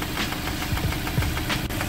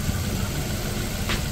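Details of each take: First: Suzuki Ertiga at idle: sharp, regular knocking about three times a second deep inside the engine; worn connecting rod bearing, rod knock. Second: Suzuki Ertiga after repair of an internal knock (journal work; belts had been ruled out): a smooth, steady low idle with no knock or tap and a quiet bottom end. Normal idle.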